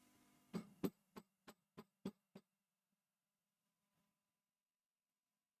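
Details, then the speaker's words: Valve guitar amp on the bench, volume at zero: low steady hum, and each tap on the chassis top rings out as a loud boomy thump; strongly microphonic valves needing replacement, output or preamp tubes suspected, not confirmed. "you can hear a lot of microphonics like a lot a lot so straight away we're already in for some new tubes"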